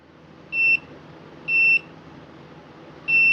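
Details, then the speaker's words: Husqvarna 150BT backpack blower that won't shut off via switch, continuity tester traced along kill wiring; short sharp beeps come and go at irregular gaps as wire moves, locating broken copper inside the insulation. "All right, look. There's a break right in here somewhere. I'm being very careful to hold this and not move it and work my way up till I find it. There it is."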